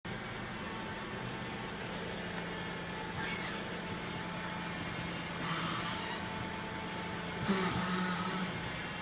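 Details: 1998 Ford Taurus on jack stands, engine running: short creaking groans each time the steering wheel is turned.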